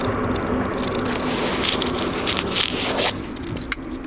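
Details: Mazda Miata rear end giving a quiet, gritty grinding under acceleration; a separate louder grind also occurs on deceleration.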